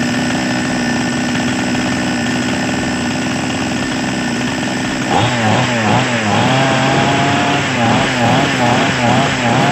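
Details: Small Chinese chainsaw engine that previously would not start without priming; after repair it fires and holds a steady buzzing run, blipping up and down cleanly with throttle; running properly.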